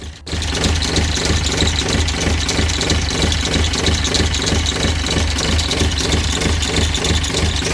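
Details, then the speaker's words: Sailboat diesel, cold idle after installing a new alternator kit, a repeating squeak about three times a second over the clatter; smooths out after about five minutes warm-up or at 1200 rpm; owner suspects injectors, unconfirmed. "here's something kind of strange that I noticed after installing the kit and you guys hear the squeak on that"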